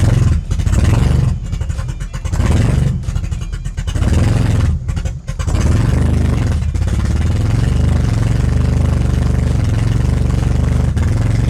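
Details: 1982 Toyota Celica Supra just fitted with radiator, water pump and alternator: engine runs low and lumpy, hunting and stumbling; alternator may work; rough running, cause not found.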